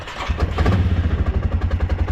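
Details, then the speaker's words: Old ATV quad after reviving its battery with solder, copper and Play-doh; choked, starts at once and settles into steady even firing pulses with a light throttle blip; runs clean, fix works. "Start it up. Are you kidding me? It works."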